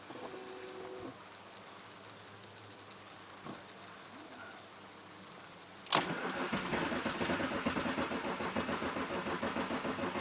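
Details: BMW 2.5 TDS diesel stalled pulling away from lights; crankshaft position sensor failed and was replaced, yet still won't start: starter cranks steadily about two beats a second but the engine never catches or fires.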